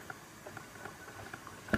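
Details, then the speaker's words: Soft irregular pops and bubbling with one sharper burble from a Frigidaire Professional drip coffee maker brewing about six cups after clog repair and hose reinstalled; water drawn from reservoir through heating element, normal gurgle. "hopefully you can hear it gurgling away there if i go over to the side to the water reservoir i can see the water coming down meaning the water is being drawn from the reservoir through the heating element and then back over the coffee beans"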